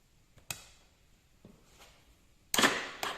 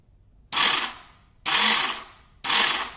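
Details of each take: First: 2015 KTM 250 XC-W two-stroke after replacing the electric-start Bendix gear that caused no-crank and grinding: a few starter clunks, then it catches and settles into a quick, even beat with no grinding; it starts and runs healthy. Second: 2015 KTM 250 XCW electric start: three harsh metallic grinding bursts about a second apart with no engine turnover. The starter spins but the worn Bendix drive doesn't engage, a common KTM e-start problem fixed by fitting the updated Bendix.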